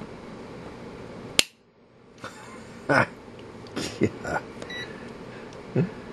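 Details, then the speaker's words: UNI-T UT139C multimeter tested to failure under overvoltage; sharp irregular pops and crackles as internal components burst; component failure popping. "Now if you just heard that pop. Yep, she's going down fast."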